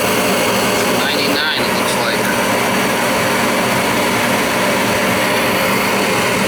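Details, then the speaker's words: Old Goodman gas furnace inducer fan motor, hard to spin before being oiled with Kroil despite being non-oiling: steady, even whir with no scraping, squeal or binding. Spins freely and runs normally after the fix. "wow yeah so we got the oil in there we got it to work i mean it freed up right yeah you could see how it goes"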